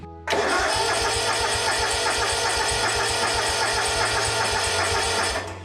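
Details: Kawasaki-powered Yazoo/Kees ZT Max 42" zero-turn mower after a swap to another old fuel pump: the starter cranks steadily for about five seconds with fast, even compression pulses but the engine never fires. No fuel was coming out of the long hose.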